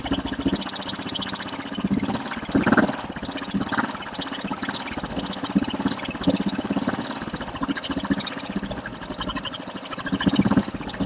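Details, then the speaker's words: Royal Enfield Bullet 350 single-cylinder idling with a sharp rapid tick-tick from the cylinder head, worse after riding 1–2 km; valvetrain noise before repair. "Customer की शिकायत है कि जैसे ही गाड़ी 1 या 2 kilometre चल जाती है, उसके बाद इंजन से बहुत ही इरिटेटिंग साउंड आना शुरू हो जाता है।"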